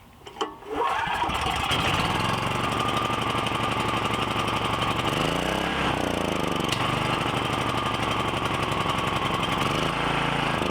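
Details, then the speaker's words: Briggs & Stratton 7,350 W generator with a replacement carburetor, first pulls on choke with a little fuel in the bowl: it catches into an uneven, loping run with wandering speed. It needs tuning; an intake leak was later found. "So it's gonna need a little tuning, so let me deal with this off camera and we'll get it running."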